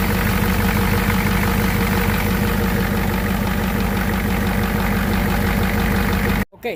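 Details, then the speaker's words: Ford Super Duty 7.3 Powerstroke diesel that cranked but wouldn't start, wait-to-start light off; after replacing the burnt glow plug control/relay it starts normally and idles with even clatter about three beats a second, no stumbling. "lo cambiamos y una vez cambiado el camión arranco normal"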